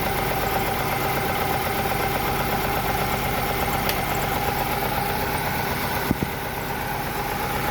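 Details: Chevrolet Lacetti/Cruze 1.8 shaking and pulling poorly, low input signal: uneven idle with a hollow beat about four times a second, one cylinder dead from a failed ECU ignition coil driver; misfire from failed ECU coil driver.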